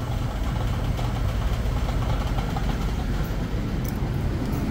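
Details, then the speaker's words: Supermarket AC compressor converted to run off transducers and CPC control, only one bottle of refrigerant charged: steady low drone, then pumps down and cuts out early; short cycling on low refrigerant charge. "Boom, it pumped it down because there's not enough gas and it turned that compressor off."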